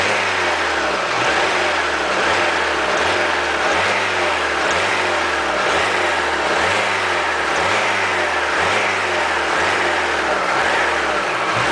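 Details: Alfa Romeo 156 2.0 Twin Spark petrol engine runs with a harsh, gritty grinding pulse about once a second, suspected pinging, sounding like shifting without the clutch; clearest from 0:30.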